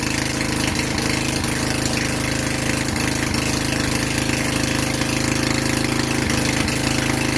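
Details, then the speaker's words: Vintage Generac Niagara 2250 W generator, model 5621-0, Tecumseh 5hp single-cylinder, running without choke in a garage with an appliance plugged in: steady, even beat with constant pitch under electrical load; producing power, healthy. "all right whoa we have power it's good news good news good news we have power i am inside the garage so i don't want to run it too long but uh seems like it's running"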